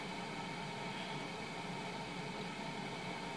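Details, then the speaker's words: Basic household refrigerator bought new November 2007, after replacing defrost timer with SUPCO solid-state timer, in cold cycle: quiet steady hum and soft hiss, no clicks or rattles; compressor running normally, timer working. "hear that it's running so it's now in the cold cycle it's going to come down to temperature but the the timer is doing its job"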